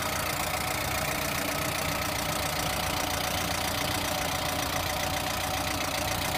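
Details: Lada Priora engine at idle: fast, fairly regular light knock, roughly three or four per second, steady throughout; engine knock, cause undetermined.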